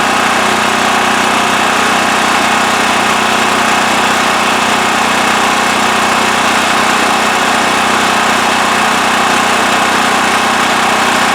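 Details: Westinghouse WH7000EC 7000 W electric-start generator with plugged spark arrestor removed from exhaust. Steady, even drone, constant pitch, no misses, surges or knocks; normal running.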